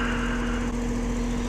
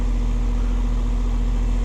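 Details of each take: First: Goodman AC condenser: steady fan motor hum with low rumble, compressor not starting; failed capacitor (4.8 on fan, nothing on hermetic side). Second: AC condenser unit after replacing failed capacitor and cleaning coils, test run at about 59°F: smooth, constant low hum from compressor and fan, no clicking or buzzing; running properly.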